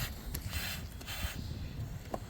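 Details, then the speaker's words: 2000 Chrysler Grand Voyager, AC high-pressure line rubbed through on the firewall behind the high pressure switch: hiss swelling and fading as the hole is covered by hand, with handling thumps; refrigerant leak, cause of non-working AC. "If I stick my hand back there, I can feel where the line is rubbed through, and I can change the noise as the pressure leaks out of it."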